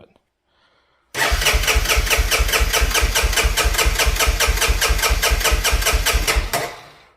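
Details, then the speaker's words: Honda FourTrax quad cranking with the choke on: starter turns over at an even two to three compression pulses a second for about five seconds but never fires or even tries to pop. "nothing not even trying to pop hmm"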